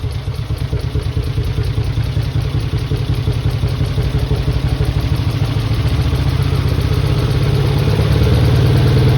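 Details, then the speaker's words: Mitsubishi 3000GT VR4 replacement engine, first start on old injectors: uneven, lumpy idle with irregular chuff and stumble, running on only a few cylinders; owner suspects stuck injectors. "She's running on a few cylinders, not on all of them, but it's a start."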